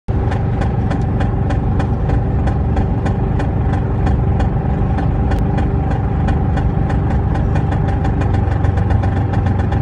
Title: P38 v8 4.6 loud noise when driving along. 2k revs and above. Under load.